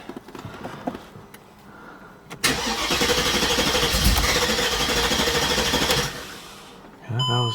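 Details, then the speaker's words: Mercedes CLK55 AMG M113K during O2 sensor troubleshooting: cranks and catches at about 2.5 s, runs unevenly for a few seconds then settles; rough start that clears up quickly, cause unclear. "yeah it clears up quick it's just it's going to stumble a little bit when it falls"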